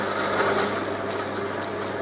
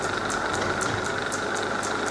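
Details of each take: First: Holbrook B9 lathe after motor servicing and taking out play; runs quieter, but an unidentified noise remains: rapid dry clicking about four times a second over a steady motor hum; ratcheting noise in the drive, cause not yet found. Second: Holbrook B9 lathe with the motor newly mounted, after a reamed pin took out the play and the belt was tensioned so the frame stopped rattling: a steady, even motor hum with a light regular belt tick, running smoothly and quietly.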